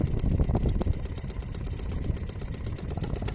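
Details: Restored old Seagull 40 Plus two-stroke outboard idling in water after repair, just started, warming before throttle. Light, even putter about four beats a second, no misses or knocks, quiet; normal idle, owner later wonders if slightly jumpy.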